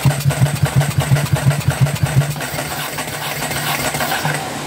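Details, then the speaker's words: Ducati 749S cranking with the fuel pump disconnected to lean it out: steady starter churn with even compression beats, about three a second, never catching. Flooding is suspected from wet plugs and strong petrol smell; spark is present. "like it's flooding but it still sounds like it's firing a little bit so I think we've got spark I think we're flooding"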